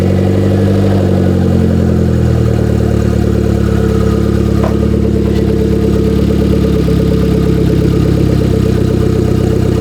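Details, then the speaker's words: Salvage Hyundai Genesis Coupe started for first time, raining, exhaust broken off and no intake fitted: loud, raw, unmuffled rumble at steady idle with even firing pulse; engine sounds healthy despite open exhaust and missing intake. "she runs sounds sounds exhaust broke off right there yeah I know it sounds pretty healthy though oh hey there's no intake on it"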